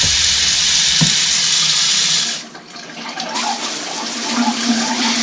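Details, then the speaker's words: Cabin water system just after the water pump was replaced (auto shutoff, set to kick on at 20 psi): water from the tap spits and gurgles irregularly, then evens out as trapped air purges from the lines. "there we go a little bit air should calm down in just a sec here the you can audibly hear it change what's that air gets worked out"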